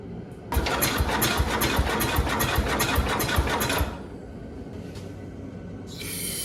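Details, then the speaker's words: Cub Cadet 127 garden tractor that won't start: the starter cranks in quick even beats of about two and a half a second, then cuts off as it backfires through the carburetor. Owner suspects the timing or points are set wrong. "but that tells me the timing or the points are not set correctly and it's trying to ignite at the wrong time"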